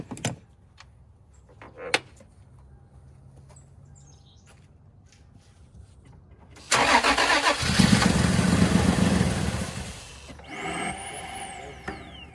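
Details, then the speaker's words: Toyota 4Runner crank no start, customer suspected fuel pump: starter churns steadily about four beats a second but never catches; pump and wiring fine, simply out of gas. "Turned out the pump and everything works, and it's just out of gas."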